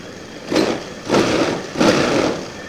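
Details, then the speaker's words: Old Honda Scoopy FI scooter after throttle body and injector service and idle adjustment, no sensor errors on MIL check: three quick throttle blips rising crisply and dropping back to a settled idle; pulls light and clean, normal running. "Tarikannya udah enteng banget. Udah mantap."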